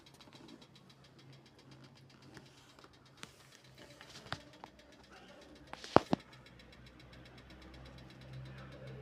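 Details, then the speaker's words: Motorcycle silencer just after the engine is switched off following about an hour of riding: scattered sharp ticks a second or so apart as the hot metal cools and contracts, which is normal and harmless. "চালানোর পরে একটু start বন্ধ করছি। তো এই এখন silencer থেকে এই আওয়াজটা আসে। এটা নরমাল। এটা ধীরে ধীরে ঠান্ডা হচ্ছে। তো এজন্য এই সাউন্ডটা আসতেছে।"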